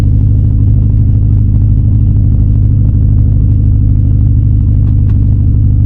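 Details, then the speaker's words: 2016 BMW 428i xDrive on a cold day, driven slowly after it had stalled, gives a lumpy rough idle with the rpm sagging and wavering near stalling; heavy shaking and misfiring, cause not yet confirmed. "the RPM just keep dropping. Oh man, I miss it. I miss it. Jesus, it's idling very rough."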